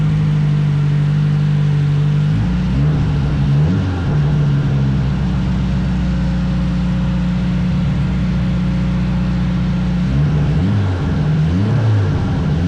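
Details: Nissan Sentra turbo build, startup after a no-spark fault was fixed and new V-band exhaust welded: deep, steady exhaust drone with a couple of short rev blips, firing evenly; runs cleanly.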